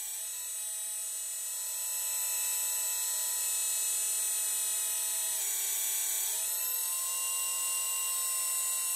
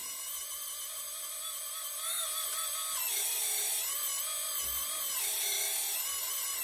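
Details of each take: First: Small hydraulic pump on an RC Hidromek excavator, after air was bled by running the cylinder through full travel, hums with a steady high whine, smooth and free of gurgling: clean flow, normal cavitation, no more air bubbles. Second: RC hydraulic Hidromek excavator gear pump whining high and wavering, roughening as pump speed rises and the boom is moved; cavitation with air bubbles because tank oil is too low for the pump to draw.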